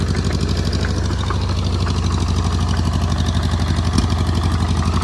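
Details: Oliver Cletrac OC3 crawler tractor crawling under load in soft mud: uneven low-pitched chug with irregular spits and stumbles, sputtering; owner suspects a vacuum leak around improvised carburetor seals, carburetor kit on order, unrepaired.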